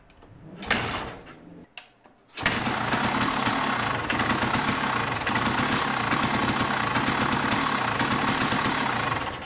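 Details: 1974 Yamaha DT250 two-stroke, after timing, carb rebuild and new coil, wire and cap, fitted with a colder B9ES plug: a few sputters, then it catches and settles into a steady, crisp buzzing run without misfires.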